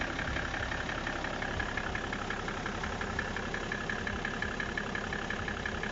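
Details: BMW E60 535d diesel at idle: regular light knock of roughly three per second riding over the diesel clatter. Owner asks whether the engine is running normally; cause unknown.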